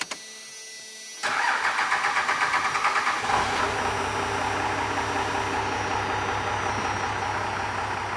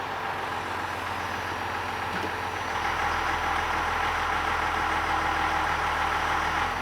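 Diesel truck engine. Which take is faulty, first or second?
first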